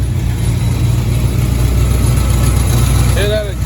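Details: 1983 Chevy Silverado V8 after hitting a deer, at hot idle: uneven chuffing puff about four times a second near the pipes, rattle fading with throttle; exhaust leak found, downpipe touching the transmission when hot.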